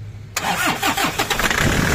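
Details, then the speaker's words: Toyota Innova D4D that had not started; after fitting a new injector driver module (wire chewed by dogs), engine cranks, catches into rough uneven firing, then dies when the key is released; starts then stalls. "umandar Ilahan Ayun namatay Gan ba yan boss ag Bitawan mo yung susi nam patay siya"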